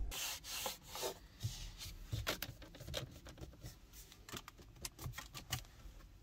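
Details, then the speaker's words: 2023 Kia XCeed GT-Line 1.5 T-GDI 160 7DCT, 9,000 km: repeated dry creaks and squeaks as the dash and console plastics are pressed in a quiet cabin; poorly fitted interior trim, though silent while driving. "Niestety, jak słyszeliście, słychać sporo skrzypnięć, a i sama jakość niektórych plastików jest średnia."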